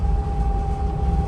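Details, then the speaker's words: 2006 Dodge Sprinter diesel van on a road test, revved to about 4000 rpm. The sound changes to a drone with a thin steady whine as it loses power and goes dead on throttle. EGR suspected; the crankshaft position sensor was ultimately blamed. "the sound of the van has changed it all the sudden sounds slightly different like it sounds like this whining noise"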